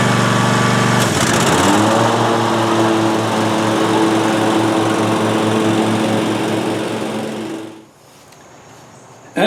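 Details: Cub Cadet ZT1 Ultima zero-turn mower after installing a new deck belt and blades (the old belt had melted onto the PTO pulley): it starts, holds a steady, even hum with no knocks or misses, then shuts off. Running healthy.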